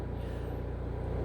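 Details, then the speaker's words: RV cabin while a 2800 W generator runs the air conditioner: steady low drone with an even pulsing buzz, the bed vibrating; generator vibration carrying through the RV structure. "you can definitely hear the generator clingy I don't even know when I quiet it down if it's gonna really help much because the system's still gonna vibrate the reason it's vibrating is because the generator itself is in"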